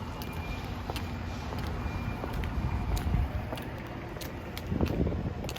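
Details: Current Kawasaki Ninja 250, which starts well: a steady low idle rumble with an uneven light ticking, about four per second, riding over it; abnormal engine noise.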